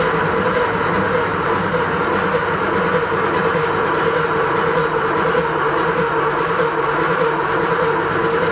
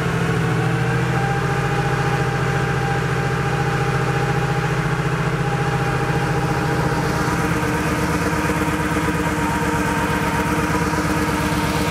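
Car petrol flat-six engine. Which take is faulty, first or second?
second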